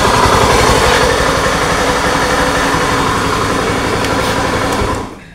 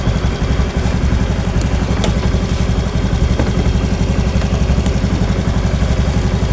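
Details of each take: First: Honda Scoopy ESP scooter, owner complains of rough engine noise when running; harsh, gravelly grinding roar with no clean tone, with bearing, gearbox or CVT considered as sources. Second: Honda Scoopy ESP scooter after engine repair for a rough whining noise, idling and then revved: even, steady single-cylinder firing with no whine, rumble or knock; sound changed from before repair, now normal.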